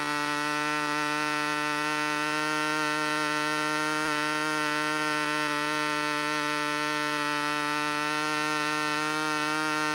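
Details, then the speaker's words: Glow engine on a U-control (Windy U Master) plane, needle just set before flight: high steady buzzing scream holding pitch without wavering, sounds about right, running clean. "ah that sounds about right right there it sounds about right to me"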